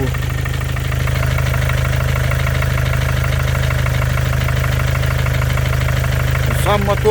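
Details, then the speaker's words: 2014 Mercedes with OM651 biturbo diesel, 300k mileage, at idle: a steady, heavy hammer-like knock about three per second, the same cold or hot; the owner thinks it seems harmless, but the cause is unknown. "Вот к-то это кто-то молотком работает, как будто стучит что-то."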